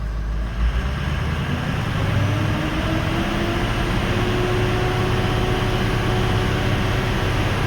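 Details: 2004 Ford 6.0L Powerstroke diesel after servicing the odd-bank side, after another five minutes running, not yet driven: steady, smooth low idle with no misses or knocks; number 6 injector still suspect.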